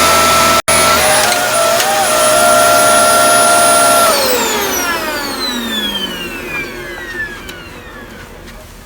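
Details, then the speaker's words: Dyson DC24 All Floors ball vacuum: a sharp, steady high whine over the airflow that sinks in pitch as the motor spins down, caused by the canister being filled past the max line and choking airflow. "that's how I can tell when the Dyson needs to be emptied, the canister."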